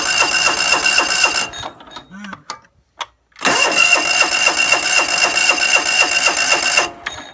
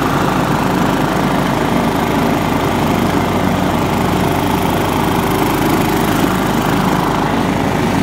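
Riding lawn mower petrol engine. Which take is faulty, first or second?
first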